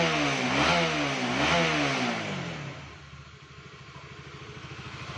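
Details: Honda CBR150 (K45) that had lost compression and died, now running: two clean throttle blips, then an even, steady idle with a regular beat; normal idle and revving.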